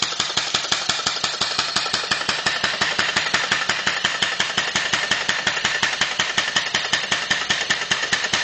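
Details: Two-cylinder former Sears air compressor with 2.5-inch stroke, converted to a steam engine with a homemade cylinder head and flywheel-driven actuator valve system: even, steady chuffing about three beats per second, no knocks or misses; running normally.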